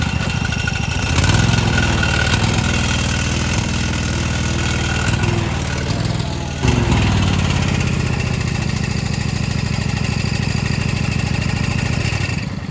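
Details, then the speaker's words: Mower engine, after fresh used spark plugs, new fuel filter and 10W-30 oil: idles unevenly, pulse wavering and stumbling with a brief dip, but runs pretty good when throttled up under load; rough idle. "won't run perfect, just kind of idling around, but when you throttle it up and put it under some load, it runs pretty good."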